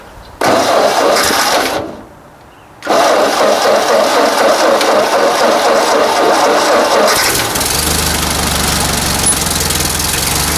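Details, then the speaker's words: 1944 Ford 2N tractor started after sitting a couple of months awaiting parts settles into a busy idle with faint irregular snapping; governor snapping, needs changing next, possibly with the alternator removed for access. "And boy, I can hear that governor snapping from here. That's our next job, I think."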